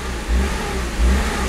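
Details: 2004 BMW E46 325Ci warm restart, often after refueling: idle rpm swelling and dropping in slow surges, with code P1447 (DMTL pump current too high); repaired by replacing the DMTL pump.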